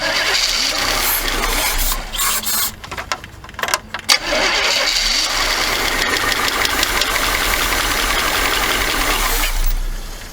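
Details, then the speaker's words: 1979 Chevy G20 van that sat 30 years, possibly 80,000 original miles. It catches on carburetor spray, runs raggedly for seconds, then dies because it is not picking up fuel; the carburetor is to be pulled. "I kind of hate to keep spraying it with carb stuff, but maybe we can keep it running to make it pick up some gas, because it's kind of hard to pour the gas and crank it. She ain't picking up no fuel."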